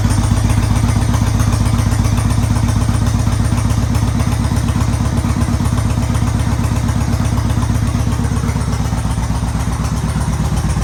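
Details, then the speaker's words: 2013 Yamaha Raider V-twin after tune-up with oil and filter change, new air filter and spark plugs: even, deep thump around four pulses a second, steady and smooth with no tapping or misses; sounds good. "She sounds good."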